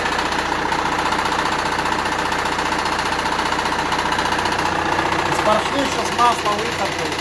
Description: Оказалось, всего лишь шкив коленвала болтается